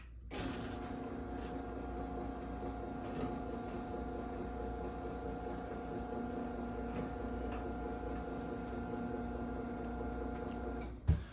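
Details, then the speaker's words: 2010 Chamberlain Whisper Drive 248739 1/2 HP belt-drive garage door opener, AC motor, running down: smooth quiet hum with faint even whine for about ten seconds, soft stop thump; normal operation. "Yeah, and this thing is unbelievably quiet. Most of them are pretty quiet. I lucked out and got a really quiet one."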